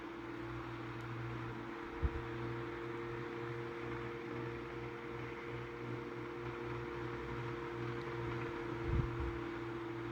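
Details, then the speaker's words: Tatung LA-12 12-inch oscillating desk fan from about 1980, once seized and since oiled, on medium speed: steady hum with a faint dry rumble, motor otherwise even. Worn motor bearings. "all right medium it doesn't sound like it's like acting unusual"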